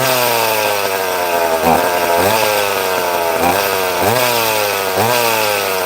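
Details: Chainsaw cutting wood: strong high scream dipping and recovering about once a second as it bites; cuts cleanly and holds revs.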